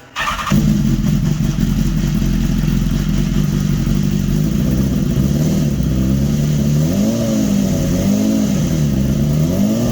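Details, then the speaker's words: 2015 BMW S1000RR, first start after swapping in the engine from a crashed bike, with a little throttle needed. The engine catches and runs strongly and evenly with blips, smoking from power foam, and no system warning light: normal running after the swap. "well at least it started yeah and no no um no System Light No system outl cool anyways that's uh that's a very good first sign it starts"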